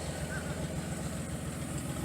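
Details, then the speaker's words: Datsun 280ZX idling with a new aftermarket muffler and no resonator: an even, steady, slightly throaty burble with regular low pulses. A little louder than the stock muffler but not stupid loud. Healthy. "It's just a little bit louder than the stock muffler, but it's not too stupid. It's not stupid loud. I like that."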